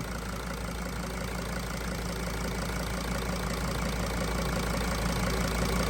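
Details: 2003 Dodge Sprinter diesel that won't start without ether, owner suspects leaky injectors; cracked fuel filter line replaced: steady, even idle with a soft regular chatter and no misses or knocks; normal diesel idle.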